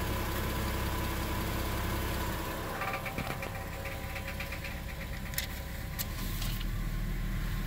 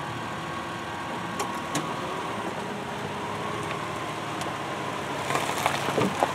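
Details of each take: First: 2002 Subaru Outback L.L.Bean at idle, before repair. A loose, tinny buzzing rattle sits over the exhaust note, from the exhaust heat shield vibrating against the pipe. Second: 2002 Subaru Outback L.L.Bean, whose exhaust heat shield rattle is being repaired. Smooth, steady idle with an even low hum and no rattle from underneath: normal idle.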